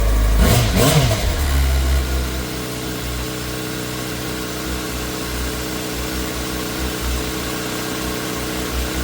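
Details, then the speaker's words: Yamaha R6 after fuel pump replacement, primed a few times with air in the lines and long unused: engine catches after a brief crank, flares once, then settles to a steady, even idle with no misses or knocks; runs healthy. "Definitely sounding a lot better. I think this one will give her a try. Heck yeah."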